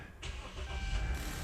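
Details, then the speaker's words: Dodge Durango with an intermittent no-crank/no-start, with suspects including the push-start module/WCM, PCM and BCM, and battery and connections reportedly already done, possibly a new alternator too. Using the push-button start, a short starter whir catches quickly into a steady run; the fault will not reproduce. "I have a hard time duplicating it, guys. It's starting every time."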